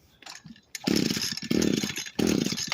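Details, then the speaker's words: Echo SRM 225 two-stroke trimmer that wouldn't start, after cleaning and refitting a part: revs up in three short surges that sag and die back, bogging under throttle and not holding revs; cause not confirmed. "So now we're gonna see if that did anything. If it still starts to bog out, then yeah, let's turn it on."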